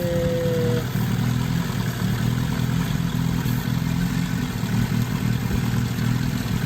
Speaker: So my engine right now, you could tell is rough. So this is how you find. Okay? This is how you find leakage. Vacuum leak.